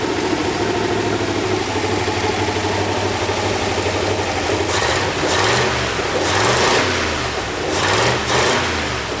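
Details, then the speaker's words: Ford F100 V8 returned to the road after sitting 9 years, with new spark plugs and plug wires: cold engine idling with no choke, steady and even, and throttle blips pick up cleanly; no smoke. "that's idling with no choke and it's not even warm yet it's not smoking hell yeah"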